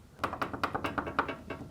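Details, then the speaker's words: Garage door roller: loose metallic ticking and rattling about every fifth of a second as bare roller stem knocks in hinge tunnel; after fitting a roller stem sleeve, noise greatly reduced and muffled. "It has become muffled. Hear that rattling? We put the sleeve over it, and the noise has been greatly reduced."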